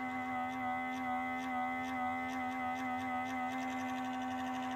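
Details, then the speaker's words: 2013 BMW E70 N63 after cooling system refresh and water pump replacement, ignition on, engine off, before bleeding: small auxiliary water pump gives a steady high electric whine that never stops; owner unsure whether this is normal. "as you can hear this little pump here this little one it's going to town on its own i don't know how normal or not normal that is"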